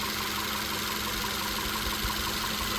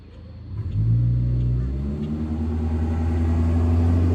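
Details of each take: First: VW Tiguan after swapping in spark plugs and injectors from another Tiguan, cylinder 1 misfire cleared: even steady idle with no stumble or skipped beats, running smoothly on all cylinders. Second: VW Tiguan, after head port cleaning, new injectors and water pump, EPC light: engine revs and settles with lumpy shaking beat, running on three cylinders, cylinder 1 misfire codes; bad injector or loose injector connector suspected.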